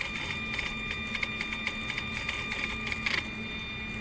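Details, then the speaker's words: Mercedes SL600 E-gas module tested on bench car, ignition on, engine off: irregular ticking and twitching over faint electric whine as the throttle plate jumps untouched; module faulty, both throttles behave this way. "And it opens, but it's not good. I'm not touching anything. As you can see, it jumps. So that's not good."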